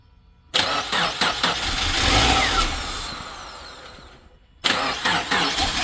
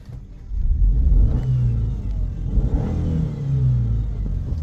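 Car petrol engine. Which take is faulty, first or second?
first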